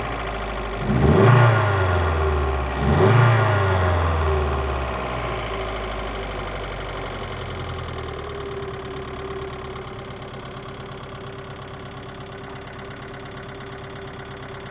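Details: VAZ 2112 1.6 16-valve engine, knock appeared after head gasket replacement: two quick revs then idle with a dull irregular knock under a faint steady hum; source not pinned down.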